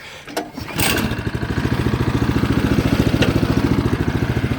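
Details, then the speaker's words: 2015 Craftsman snowblower, cold day, primed three times, choke on, turtle setting: after a recoil pull the engine catches and settles into a steady, even beat of about three and a half pulses a second, a clean cold start. "he's absolutely correct listen to this thing purr"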